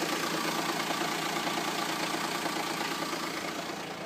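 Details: Renault Espace IV 2.2 dCi diesel at idle: loud steady idle with a fast, fairly regular clatter around three per second; abnormal engine noise, cause not pinned down.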